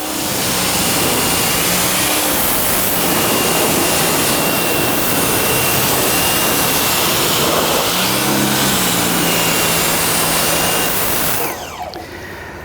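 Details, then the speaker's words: Nilfisk C110 pressure washer starting up: water flows into the pump as it builds pressure, with a steady motor hum under a strong, even water hiss and no surging or pulsing; normal operation. "There you heard the pump operating, pushing water, getting water up to pressure"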